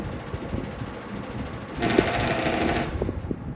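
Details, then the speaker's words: Vintage McGraw-Edison box fan model 204002, on high speed: steady hum with bursts of harsh, fast rattling buzz; unidentified mechanical noise, possibly from the motor, besides typical grill and handle rattle. "That's the noise it makes. And I don't know what that noise is, so I'm not going to leave it on. If anyone picked up on that noise comes from the motor."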